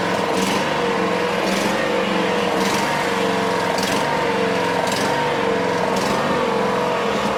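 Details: Honda small single-cylinder engine, started on choke after a governor adjustment: runs steadily at an even speed with no surging or hunting; sounds normal.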